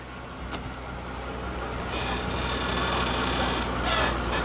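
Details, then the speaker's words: 2004 Mercedes SL600, 500hp twin-turbo V12, suspension raised and lowered via scan tool test: thin high-pitched squeak over low hum as the body moves, car sits low; squeaking suspension component. "Squeaker. She's a squeaky girl. This gives the suspension a real workout."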